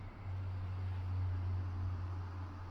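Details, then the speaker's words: Dyson AM09 fan heater after a year of use, lowest fan speed 1, switched from jet focus to wide mode: steady low hum with airy hiss and a weird tone change, less powerful; abnormal airflow tone. "So it's on jet focus mode. Let's put it on wide mode. Makes a weird noise. Listen to this."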